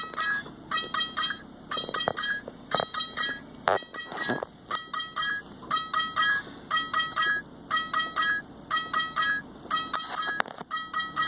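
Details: Mini-0806 dash camera: bright electronic beeps repeat in short clusters about once a second without letup. This is the alarm caused by a failed internal lithium polymer battery that stops the camera shutting down properly and corrupts the SD card.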